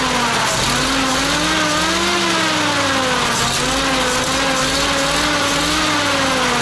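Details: ZIL crane truck petrol engine revived after 20 years standing: note wavers and stumbles, chuffing unevenly as revs sag and recover; misfiring because it used up all the petrol.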